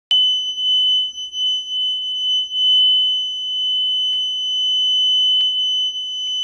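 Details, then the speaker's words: Piercing high whistle at one unchanging pitch, heard only in this bathroom, not electrical, keeps sounding with the light off and grows louder; source turned out to be the toilet. "If I turn off the light, it still resonates and it just gets louder and louder and louder."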